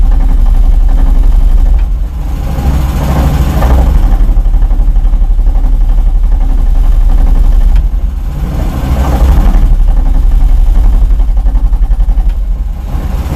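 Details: Engine with universal joint replacing CV joint between engine and gearbox, held on brakes in 5th under load: loud low drone with uneven knock about four times a second, rising with revs; present at idle; joints show no play; driveline knock, source unknown.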